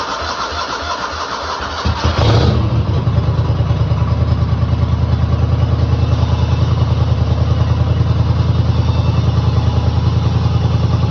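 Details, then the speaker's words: 1995 Cub Cadet Series 2000 hydrostatic tractor, after replacing the fuel pulse pump and fuel filter that had starved it of fuel: cranks, catches around two seconds in and settles to an even, deep thumping idle; running properly. "on yeah so that was definitely the problem it's running as you can [Music] hear uh I don't know if that fuel pump is going to wind up being too much or what but so far so good"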